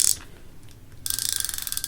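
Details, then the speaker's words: Burning Shark MG 7000 baitrunner reel, new braid spooled, main drag tested: quick, even run of crisp clicks, about seventeen a second, as line pulls off, smooth; normal drag click. "All right, so now that I got the braid on, see how the drag feels. On the main drag, feels okay. Pretty smooth, actually, surprisingly."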